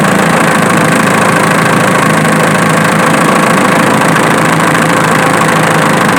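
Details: Diesel engine idling with a sharp snapping tick about twice a second over the clatter, located with a camera; the snap was traced to the alternator, not the injection pump as suspected.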